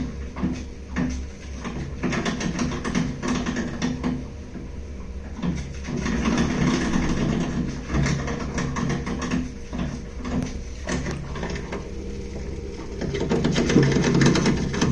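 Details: Baxi Duo-tec 40 GA boiler in central heating mode bangs irregularly, about twice a second, over a low hum while pressure bounces. It doesn't trip, restarting clears it, and hot water mode is fine; owner suspects restricted heat exchanger flow.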